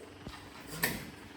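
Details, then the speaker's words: BX2380 tractor that died when the operator got off it, with the power, ground and connections checked good: one sharp click on the key and no cranking. The owner suspects a safety interlock switch is holding the starter out. "huh maybe it's a safety and that got me well maybe I'll just check all of the knobs and everything"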